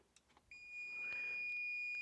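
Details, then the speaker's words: Aneng 626 multimeter in auto mode with calibrator at 0 volts: steady shrill beep starts abruptly and holds unbroken; meter takes the zero-volt input as continuity and sounds its buzzer. "so it immediately thinks that that 0 volt signal is not 0 volts. It thinks it's continuity. And so the buzzer is going off, as you can hear that."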